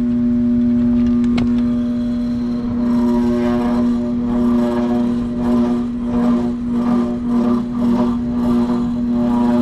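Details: Utility-set HVAC exhaust fan motor: constant loud mains hum with no wind-up, motor stalled, drawing 17.3 A against a rated 5.8/2.9 A; locked rotor.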